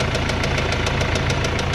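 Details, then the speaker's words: Mercedes-Benz CLS W218 engine: a sharp, even knock about seven times a second over the engine rumble that follows engine speed with just a light blip of throttle, a rod bearing knock. "เนี่ยดูดิลั่นเลยครับนัแตกคันเร่งหน่อยหน่อยเดียวเมันเขกตามรอบเลยกๆ"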